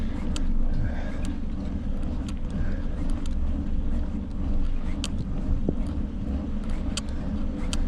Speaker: Told you it needed to be trued. I got the brake rubbing.